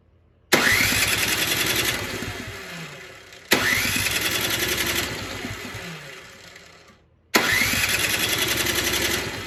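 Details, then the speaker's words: Poulan Pro 961980056 24-inch 208cc snowblower after carb cleaning, new primer bulb, cracked fuel line replaced and fresh gas: three tries, each catches sharply, runs a couple of seconds, then dies; leftover bad gas in tank bottom suspected. "guys I got a I gotta be honest I was a little concerned there for a bit um I I think it's just the bad gas I don't think I got all of it out so there's probably still some at the bottom of the tank"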